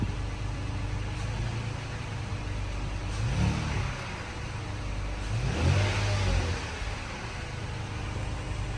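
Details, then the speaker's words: Third-gen Toyota Tacoma bought wrecked at auction, first start after adding coolant, no leaks: smooth idle rising cleanly on two short throttle blips and settling back, no knocks or rattles; normal healthy revving. "ally good that sounds super healthy nothing's touching over there sweet he's gonna let her run"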